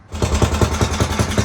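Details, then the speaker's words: 1970s Commuter T-380 three-wheeler bought at auction and being revived, started after repairing the headlight wiring to test the light and stator: the engine catches at once and thumps along at about five even beats a second, running cleanly without misses. "So I'm going to try and repair the wiring for the light here, and we'll fire it up and see if we actually have a working light and a working stator generator."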